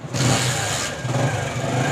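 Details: Bajaj CT 100 single-cylinder motorcycle, 17,000 km, engine making a strange abnormal noise: rough, uneven low thumping under the note as it catches and revs; this points to a loose balancer weight knocking inside the engine.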